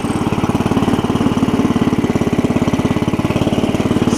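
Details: Cub Cadet 70 garden tractor after drive repair, pulling away in first gear (clutch pedal previously had to be held down): steady, rapid single-cylinder chug holding an even pace; engine and drive sound healthy, normal running under drive.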